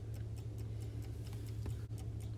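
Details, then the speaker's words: Vintage Coca-Cola electric rewind clock, reassembled after repair: crisp, even ticks about four or five a second over a quiet motor hum, running smoothly and healthy while awaiting automatic rewind. "officially reassembled and as you can hear and see it's ticking away now to wait till it needs to rewind"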